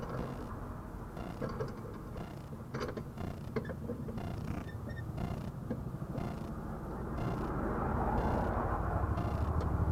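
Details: 2008 Ford Mondeo MK4 going over speed bumps: irregular creaks and light knocks from the front suspension over low road rumble; nothing looks loose with the wheels off.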